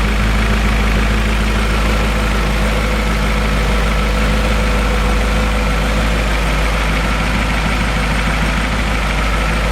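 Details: BMW E39 M5 V8 after rebuild and cleanup, cold start recorded on the camera's built-in microphone: smooth, even idle with steady low hum, no ticks, knocks or misses; healthy cold idle.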